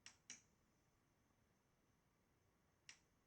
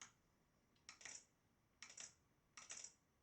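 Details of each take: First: Model Racing Supershot arcade boardset from Italy: only sharp paired lamp-relay clicks when a target is hit, in near silence with no sound effects; the audio PCB supply reads under 1 V instead of 11 V. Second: Model Racing Supershot arcade game with the audio PCB connected: the lamp relay gives three crisp clicks whenever the target is hit, switching normally, while no audio effects come from the speaker yet.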